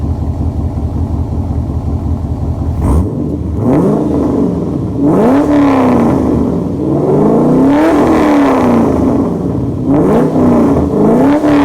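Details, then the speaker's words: 2006 C6 Corvette V8 with new Maximizer headers and X-pipe, no cats: deep throaty idle rumble with repeated sharp blips rising and falling cleanly. Healthy, loud exhaust note. "Wow, that sounds great."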